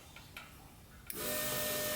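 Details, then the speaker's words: LS-swapped turbo Ford Ranger getting dual Walbro 450 lph fuel pumps, pump relay jumped to battery positive, fuel line draining into a can: a click as power hits, then a steady high whine and hum holding constant; pump running normally. "the fuel pump running"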